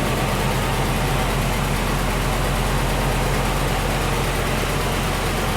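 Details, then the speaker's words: Land Rover 101 with a Rover V8 idling after a belt tensioner pulley bearing was replaced: steady, even, smooth low rumble with no squeal or rattle from the belt area; healthy. "I just love the sound of that Rover V8."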